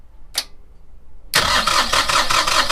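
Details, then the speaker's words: Starboard engine of a custom 435 catamaran, not started in almost a decade, cranked with stop button held to circulate lubrication before firing; steady starter cranking, even compression pulses about four per second, no firing – cranking without starting, stop held. "Okay, so we're gonna do this 2 or 3 times just to get the lubrication going through the engine before we fire them up."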